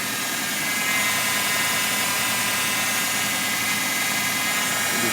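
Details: Fiat Tipo, running engine: a steady high-pitched whine and hiss from the belt area. Mechanics blame the power steering, but none has fixed it; the owner is unsure whether it is the steering or engine belt. A friend's identical car is silent, and it has needed jump starts.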